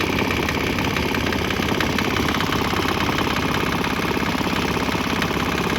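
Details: Swan X 165F Chinese single-cylinder diesel, crate-mounted, on used canola fryer oil about 3 minutes: loud steady even chug, no knock; slight tempo and exhaust change, possibly during transition to canola; normal running.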